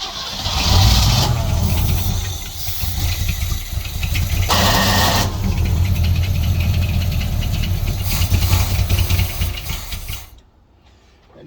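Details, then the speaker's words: 1964 Chevrolet Suburban, new homemade exhaust with mufflers and no tailpipe, gravity-fed fuel from a near-empty gas can with no fuel pump: runs rough with stumbling pops and dips then dies, missing from fuel starvation. "You can tell it was running out of fuel. I don't have a fuel pump. It's just coming through here gravity. It couldn't keep up. That's why it was missing and popping."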